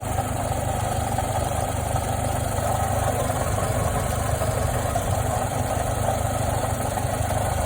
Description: Bad water pump diagnosis, sounds relatively like a piston slap or rod knock.